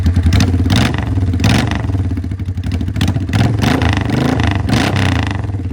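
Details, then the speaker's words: 1984 Honda Shadow VT500 V-twin, formerly running on rear cylinder only, warmed up: lumpy warm idle then several quick throttle blips rising and falling cleanly, no stumble. Normal revving. "not too bad a little warm up for a second now that she's warmed up we'll get a few revs"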